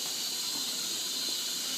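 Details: Bendix 7128 washing machine on a 40° non-colourfast cotton and linen wash: a steady thin hiss of escaping air or water with no low rumble, suspected to be the door seal; not confirmed.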